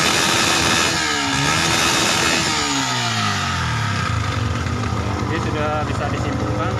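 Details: Yamaha Vixion fuel-injected motorcycle that died from oil rising into the combustion chamber and fouling the spark plug. After fitting the plug it fires up, revs rise and fall smoothly, then holds a steady idle. Running cleanly.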